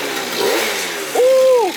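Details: Yamaha BWS 70cc two-stroke scooter, freshly rebuilt, cold weather, first heat cycle: crisp buzz climbs sharply on a quick rev, holds, drops back cleanly; pulls well, sounds healthy.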